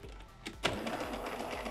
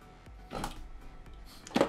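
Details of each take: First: Jura A7 coffee machine (ENA/A series), error 8, drive/gearbox problem: strained, uneven whirring with repeated clicks and knocks as the brewer drive labours; broken, cracked brewer unit mechanism binding. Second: Jura A7 coffee machine (ENA/A series) brewer unit under test after repairing error 8 from a cracked brewer mechanism: short whirring motor runs with pauses and one brief stutter, then a steady drive stroke to the top; normal operation.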